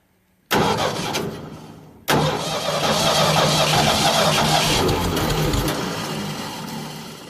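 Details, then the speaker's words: Ford 302 V8 powering an air compressor, after carburetor rebuild and HEI distributor swapped back to old points distributor: starter catches, fires on second try and settles into an even idle; no longer dies when valve turned; normal start-up. "now you turn the key on fired right up and also when you turn that Valve right there it doesn't die out like it used to"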